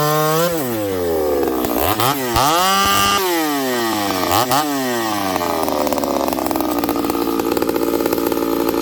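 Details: Ported Homelite 922 chainsaw after clutch and fuel line repair and cooler heat-range plug: sharp throttle blips, then a hard steady snarl pulling through very hard wood without bogging or misfiring; normal, healthy running under load.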